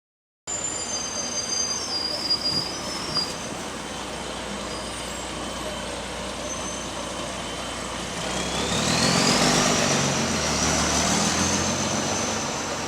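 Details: Diesel bus GAL WVL464 idling and pulling away: rough raspy chuffing with a whistle climbing on acceleration; exhaust leak.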